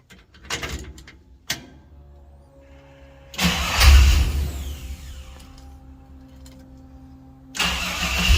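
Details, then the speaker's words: 1954 GMC COE with newly mounted Speedway chambered muffler: engine catches after a brief crank, revs up and settles to an even, deep burble with no rasp or drone; normal, healthy exhaust note. "this is a Speedway Muffler chambered whatever it's supposed to be kind of like the MagnaFlow Delta 40 but not not as loud"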